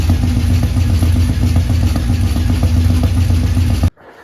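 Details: 1984 Ford F150 first start after months with underhood harness out and fuel system primed: loud rough running with uneven clatter about four seconds then cuts off; abnormal noise, cause unclear.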